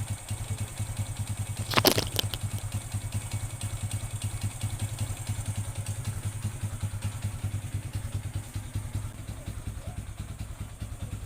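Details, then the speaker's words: Honda Revo small single after running out of oil, warmed nearly two minutes, revved: rough uneven tek-tek knocking under the exhaust beat, unchanged when hot; predicted piston damage, rings or scored piston skirt from oil starvation. "suaranya masih Putuh ya masih kasar dalam arti tidak ada perubahan ini Prediksi saya itu ini di bagian piston itu mengalami kerusakan bisa dari ring seher bisa dari punggung piston itu baret karena kekurangan oli"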